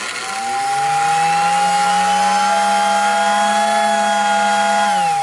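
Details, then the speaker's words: American Flyer whistle in Ringling Brothers guise: droning motor rises, holds about four seconds, then falls with a thin two-tone whistle on top, like a power drill with a whistle; lack of lubrication suspected, though it is lubed. "do you hear how it goes into a two-tone whistle right there at the end it's like a power drill with a whistle attachment that's because you don't have it lubed enough"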